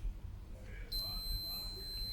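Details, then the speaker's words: Musicson P-802 1600 W audio amplifier, one channel faulty: short click then steady unbroken high continuity beep across the bridge rectifier; short between positive and negative supply rails, no short to ground. "Interesting. So, that's telling me between the positive and negative rail, I have a short. I do have a short."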